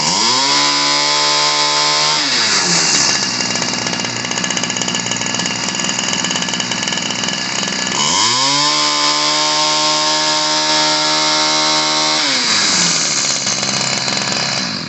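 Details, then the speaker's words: Ryobi 725r EZ gas trimmer from the 90s after carb adjustment: revs cleanly to a steady high buzz, holds, drops back and revs again without stumbling; previously rich, spitting fuel that clogged the air filter. "all right you get a little bit higher rpm so this was spitting fuel out at first that was kind of the issue"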